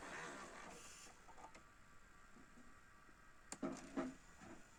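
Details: Panasonic NV-SD300 VCR full check after repair: quiet whirring with soft mechanical clicks and clunks as the cassette loads and runs, nothing harsh or grinding; deck sounds healthy.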